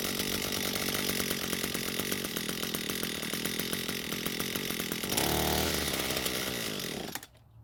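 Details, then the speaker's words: Echo SRM 230 trimmer with serviced carb: buzzes raggedly several seconds, surges, then dies, repeating after each carb adjustment; faulty carburetor, replacement suggested. "And after each adjustment, it kept doing the same thing, which was to run for a bit and then stop again."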